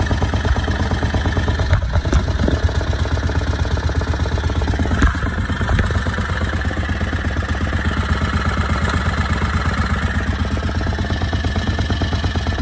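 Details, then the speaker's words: Harbor Freight Predator 670 22 HP V-twin in an EzGO Workhorse golf cart, after turning both carburetor idle screws down about half a turn: even, low lumpy idle around 1100–1300 rpm per tachometer, no misses or clatter; carburetor idle correctly set. "oh yeah so that's the sweet spot 12 to 1300 actually it's more like 11 to 1300 i don't want to go anymore i'm afraid it's gonna stall"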